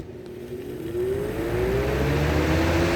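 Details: Used Lasko 3733 box fan, previously used in a window, started on high: low hum rising steadily in pitch as blades spin up, even and free of rattles; normal startup.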